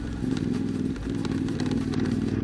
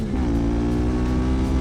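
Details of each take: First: CFMOTO 450MT (Ibex 450), about 20,000 km and 12 months of use, while riding: uneven tinny clatter over engine drone, a noticeable rattle from the front of the bike, cause not yet found. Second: CFMOTO 450MT (Ibex 450) after 20,000 km and 12 months of hard riding: a strong, even engine note with clean firing and no knocks, rattles or misses. Owner found no engine, gearbox or chassis issues, no lost power and no clutch slip.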